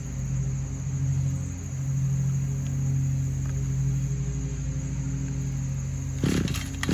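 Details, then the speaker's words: 2010 RedMax edger, small two-stroke: steady fast buzzy idle never settling; bogs when given gas, owner suspects cracked carburetor diaphragm. High idle. "all right this edger what it's doing is when i crank it up it'll idle but it's idling high now and anytime you try to give it gas it just overloads"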